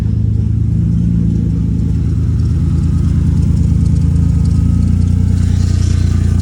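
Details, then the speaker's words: Lexus IS300 after an engine swap and ECU swap, with no exhaust fitted and no check engine light: deep, even idle with steady firing and no ticks, knocks or misses; engine idling smoothly. "sounds like shit because we still have no exhaust, but dude, it's idling. No check engine light, by the way."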